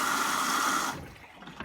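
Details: Hoover Optima 7kg OPHS712DF washing machine on a 60-degree wash with 1,200 spin: steady hiss of water filling for about a second, then cutting off to quiet drips; normal fill, though owner suspects it uses little water.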